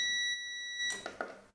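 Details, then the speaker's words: CyberPower Value SOHO UPS after replacing a faulty battery with a Hitachi 12V 9Ah unit, plugged back into power: one short high-pitched beep then handling noise as it starts charging; normal startup beep. "plug your ups back into power and it's going to go ahead and start charging it so it's on"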